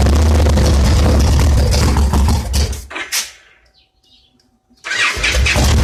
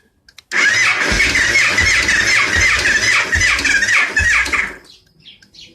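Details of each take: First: 2002 Victory V92 V-twin that sat outdoors about eight years, apparently weak battery, started with starting fluid; fires and runs with strong, lumpy, even beat, shuts off and restarts cleanly; engine starts and runs. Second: 2002 Victory V92 that sat outdoors about eight years, in neutral with the oil light going off: the starter grinds and whirs, turning the engine slowly at about three compressions a second without catching; a weak battery is suspected.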